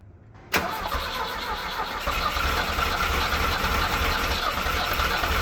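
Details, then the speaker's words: Mustang skid loader engine, choke off, governor unhooked, accelerator pump working: steady cranking chug around three beats a second, almost catches but never runs; super close, tired, owner thinks working the throttle would light it off. "Now, normally in such times, I can be right there where I can work the throttle and I bet you it would light off. It is super close. It's definitely tired, but I think it will run."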